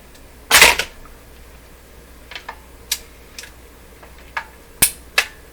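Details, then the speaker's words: Telefunken Salzburg 5094W console record changer under mechanical restoration, motor on and mechanism engaged: a loud clunk, then sharp clicks and snaps over a few seconds as the changer, with a part staying over, cycles straight from start to reject. "So because it stayed over, it just basically went from start to reject."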